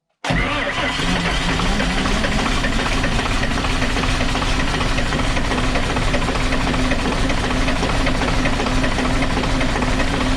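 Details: Dart bus diesel cranking at about 600 rpm after being run out of fuel, the second time; ragged occasional firing that never catches, air getting into the fuel system somewhere after fuel drained back.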